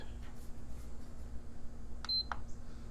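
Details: PS5 Digital Edition with a prior HDMI port repair: one click, a single short beep, then it shuts off with no sustained light and no start. Cause unknown; a damaged LED ribbon cable is suspected.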